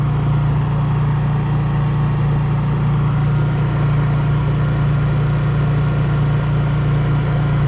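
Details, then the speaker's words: Honda EU3000is inverter generator, started with choke, then eco throttle turned off so it runs at full speed: steady, even low hum with no surging or knocking and very little vibration. Running normally. "Very little vibration with it actually running with the eco throttle off."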